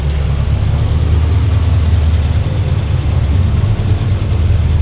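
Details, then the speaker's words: El Camino during tuning, after clearing the learned table, adding a PCV valve and turning the idle down, in gear: deep smooth steady burble, no misses or hunting; sounds happy. "Sounds good. >> Yeah, it's good. I think it's pretty happy. >> That sounds good."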